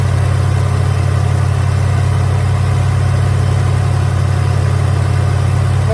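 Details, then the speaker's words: 1983 Hurst/Olds 15th Anniversary 307 V8, revived after sitting parked since about 2002: a deep, steady idle with an even low rumble and no misses, knocks or ticks; runs pretty good. "i just don't know this thing runs pretty good"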